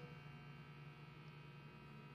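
A soft, steady low hum with a faint buzz: a microwave running quietly and normally on inverter power.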